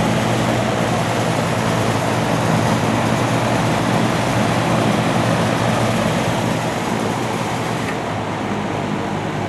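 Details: Vintage antique-store box fan with a spliced, poorly done replacement cord and an off/high/medium/low switch: a smooth steady motor hum under an airy rush, no rattle, scrape or wobble; the fan runs normally.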